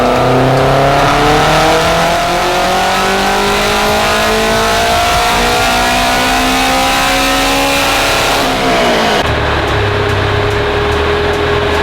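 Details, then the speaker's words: AWD-converted Honda Civic Type R turbo four on dyno, pump gas, 21 psi boost: pulls hard with pitch climbing smoothly to the top, then drops off at lift; clean pull, no knock, 566 wheel horsepower. "It's not knocking whatsoever, but it just sounds a little bit ridiculous to make 560 on pump gas."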